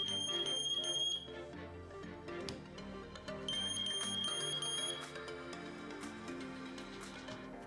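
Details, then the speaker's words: Meross GS828 carbon monoxide and temperature detector test-button self-test near the microphone: loud shrill high beeps in quick repeated pulses, rated 85 dB, the alarm sounder working properly. "сигнализация тоже довольно таки громкая как и указано в инструкции 85 децибел"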